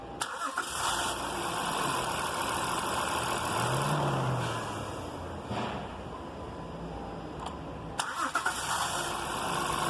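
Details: 2016 Honda Pilot V6: two cranking attempts at startup with a harsh metallic grinding roar from the starter motor instead of smooth cranking.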